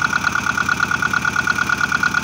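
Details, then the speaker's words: Engine idling after generator replacement and belt tensioning: steady even idle, no squeal or belt flap, indicating good belt tension. "No flapping around. Perfect. Yeah, when you start the engine, you need to check that the belt isn't flapping around. That means you have a good tension."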